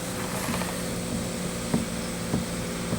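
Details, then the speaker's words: Land Rover door checked during roadworthy (MOT/APK) prep, hinges replaced last year: each swing gives a dull clunk about every half second with a faint ratchety click from slight play in one worn hinge; some movement but not a failure. "So, there is a little bit of movement in one of them."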